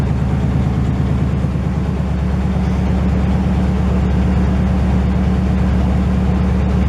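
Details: 1968 GMC truck V8 at its first start in 20 years: a loud, deep idle with a steady, even lope and no knocks or misses, warming up and running well with only minor leaking.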